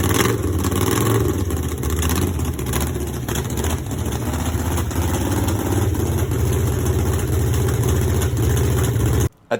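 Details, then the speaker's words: Borrowed small-block Chevy V8 in a drag/burnout truck after ditch crash, running and revving with rough uneven note underneath; something sounds wrong inside the motor, cause not yet found. "it sounds like there's something wrong with the motor so let's see if we can't get that figured out nice and easily first"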